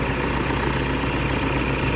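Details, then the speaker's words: Toyota Vigo diesel after an engine rebuild. A forgotten oil refill after an oil change melted and seized the bearings; the parts were replaced. Warm after running all day: steady, even, smooth idle with no knocks or ticks, healthy. "เสียงเครื่องยนต์นิ่งนะฮะคันนี้เรารันไว้ทั้งวันแล้วนะครับ"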